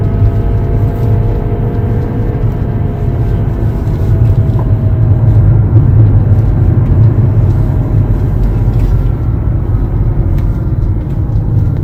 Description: I have a 2011 BMW F10 and makes this whining noise while driving.